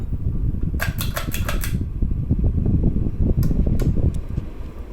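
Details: 1993 Gulf Coast 56" Super Brass Tiara ceiling fan with light kit, 188x20 stamped-steel motor, on high in downdraft at roughly 200–210 rpm: steady low whir with dry rushing; stiff, worn bearings whirr but airflow stays strong.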